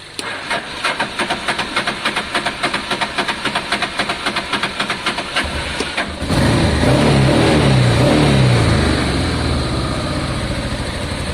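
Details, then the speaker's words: Honda Deauville motorcycle after carb clean, on choke: cranks about 3.5 beats a second for six seconds, catches and runs with a wavering, uneven note; owner suspects it is down on fuel from the fuel pump, unconfirmed. "No, I think it's down on fuel. See, I think that pump."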